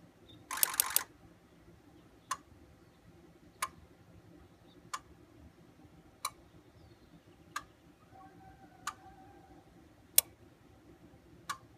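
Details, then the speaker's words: Ford 6.0 Powerstroke diesel, IDS injector buzz test with one injector removed: eight sharp electrical clicks, one per injector, the seventh standing out; confirms at least one bad injector. "Okay, now with this, we know for sure that we have at least the bad injector."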